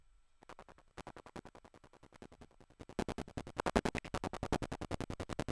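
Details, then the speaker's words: RME Fireface UC audio interface, heard from the headphone out: software playback from Spotify has a steady scratchy crackle about once a second, while dry synth and mic channels are clean; cause unknown. "now you might not be uh a Jason R fan but uh I think you can probably probably assume that it's not the way it's supposed to sound"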